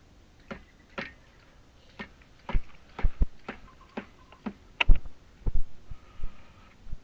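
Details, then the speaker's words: Irritrol RD-1200-R RainDial 12-station sprinkler timer, station 4, about 61°F: zone valve rapidly turns on and off, irregular hard thumps one or two a second; valve pulsing with water hammer, cause unknown. "turns on off real quick DP dump dump I don't know why"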